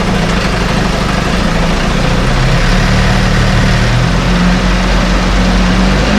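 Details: 1968 Evinrude Fastwin two-stroke outboard, first run, just put in a test tank with fuel, no work done: steady low idle putter about 2.5 firings per second, no knocks or misses; healthy, great heartbeat.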